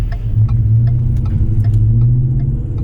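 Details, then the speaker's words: 2010 Ford F-150 Lariat, salvage title, driving: deep smooth V8 rumble with light road ticks and no knock or drone; engine and exhaust sound healthy, not too loud. "And it sounds good too. Not too bad, not too loud, just right."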